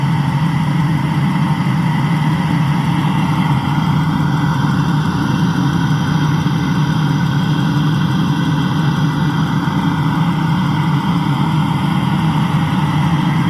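Smooth, even idle with a steady low drone and no knocks, misses or whine; the engine sounds healthy.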